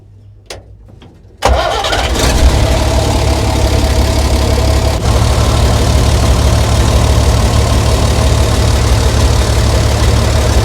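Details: 60-year-old International Harvester 6x6 army tipper, Perkins 6354 diesel, sat about 10 years, started while testing a very heavy clutch to get into gear: quick crank catches at once into a steady, even low idle with no misses or knocks; normal.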